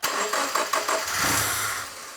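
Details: Subaru with a freshly rebuilt STI EJ20 short block, first start attempt: even cranking about five beats a second, then a brief rough catch that fades out, so it doesn't start. Coils possibly backwards was suggested, unconfirmed.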